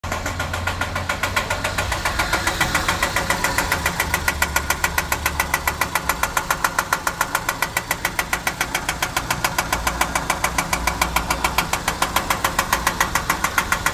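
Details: 2003 Ford Ranger 2.3 four-cylinder idling with a sharp, regular knock tapping about three and a half times a second; engine knock suspected, cause not confirmed.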